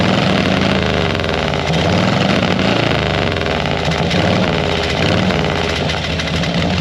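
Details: 1940 Harley-Davidson UL 74-inch flathead V-twin at idle after an oil feed pump rebuild, with the oil light still on at idle. Loud, steady idle with an even, loping beat and no knocking or clatter: the flathead is running cleanly.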